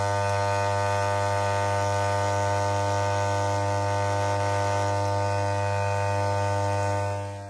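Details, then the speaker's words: 1974 Holophane S400 globe lamp on original ballast, running test: loud steady mains-rate buzz with many overtones, clearly crackling and making odd noises; loud ballast hum. "Bon, celle-là, on l'entend grésiller carrément. Elle fait des bruits assez chelous."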